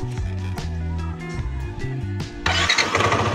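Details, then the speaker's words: Yamaha NMAX about 5 years old, starting just after replacing the original Yuasa battery with a new OD gel battery: starter spins the engine briskly with quick, even pulses, then it catches and runs; normal starter cranking, no labouring. "O diba? Hindi siya hirap ngayon kasi nga syempre mas bago na yung baterya niya. Hindi na hirap paikutin yung starter."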